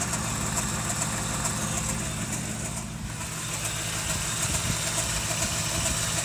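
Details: 1988 Toyota 4Runner 22RE four-cylinder at idle: fast rhythmic ticking about two per second over the engine plus a hissy high-pitched layer; strange noise, cause unclear.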